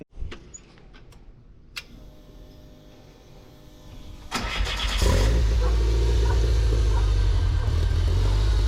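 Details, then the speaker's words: Volkswagen ABA engine in a buggy, first start after the rebuilt cylinder head was reinstalled and tightened: it cranks a few seconds, then settles into a loud, slightly uneven low idle. It runs rough and needs tuning. "Well guys, as you can see, Frank and Buggy's running again. You can also hear that it needs some tuning now, now that we got everything tightened."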